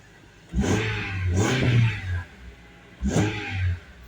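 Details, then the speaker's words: 2003 Honda Element after tune-up with new coil packs, iridium plugs, valve cover gasket, PCV valve and air filter: three quick, clean revs, smooth and noticeably quieter, with no check engine light; normal revving. "yeah no check engine lights nothing mad at me boy is that running smooth and quieter amazing"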